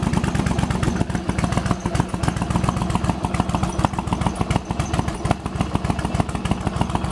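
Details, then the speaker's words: Yamaha Virago XV1100 with years of occasional coughing and spluttering on one cylinder, after replacing regulator rectifier, in garage, headlight on; lumpy but regular V-twin idle firing evenly without coughs or spluttering; runs cleanly. "wow this is running nicely as you now change the regulator rectifier"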